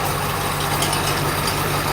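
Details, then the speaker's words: 2001 Ford F250 7.3L diesel idling after a slow-cranking start, battery 12.8 V: steady low drone with a dry, raspy whir and rattle from a bad A/C compressor pulley bearing. "Okay, it's noisy. You can hear some of this noise up here. You can hear our air conditioner compressor pulley ready to grenade."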